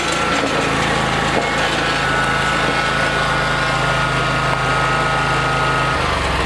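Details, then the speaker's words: Lawn tractor mowing after electric fuel pump replaced failed pumps to fix fuel problem; small engine drones at steady speed under load without stumbling or dying, dropping slightly near end, normal running. "I put on different fuel pumps they just didn't work put on an electric fuel pump bang it works"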